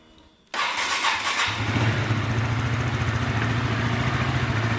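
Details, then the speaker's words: Honda Sonic motorcycle at 85,000 km, after connecting rod and balancer bearing work, cover off: the engine catches and settles into a rough idle with a fast metallic ticking rattle; mechanic attributes it to a worn, never-replaced cam chain. "Ini masih kasar teman-teman. Nah masih kasar, ini disebabkan oleh rantai keteng teman-teman."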